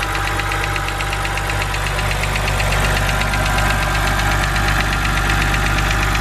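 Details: BMW 130i N52 engine at idle, bonnet open: fast light ticking about three per second from the top end over steady idle; hydraulic lifter tick, said to be harmless but annoying.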